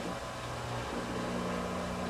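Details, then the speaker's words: LG ventless washer/dryer after drain pump replacement and modification, running a small test load: even low hum, steady tone, no grinding or rattling; new drain pump running normally and sounds much better than before. "well my wife is saying she can hear the pump right off the bat usually and it sounds good now so we're happy so far"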